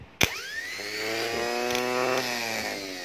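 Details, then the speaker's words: Starter motor bench-tested for a no-start engine: snap of contact, then a whine rising quickly to a high steady pitch. It spins fast and freely, so the motor itself is healthy. "Okey, maksudnya starter ni dia laju pusing tu. Okey. Kalau begitu, kemungkinan masalah di sini dia tiada, sebab starter ni laju pusing."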